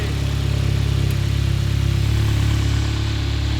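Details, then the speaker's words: MK7 GTI 2.0 turbo four-cylinder with DSG, removed from a totaled car and started with its wiring and components laid outside the car during a swap into a MK3 Jetta: smooth, steady low hum, even pulse, no knocks or misses; healthy idle. "oh hey there it started listen to that baby purr"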